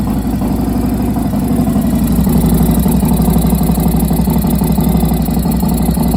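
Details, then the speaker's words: 1993 Harley-Davidson FXRS Convertible V-twin after spark plug shot out; temporary fix of stripped plug threads. Loud, lumpy idle with a quick puffing tick about four per second from compression leaking at the plug; ridden over 30 miles home on the fix. "You can hear that there was a little leakage, but I got home and I drove over 30 miles with this temporary repair."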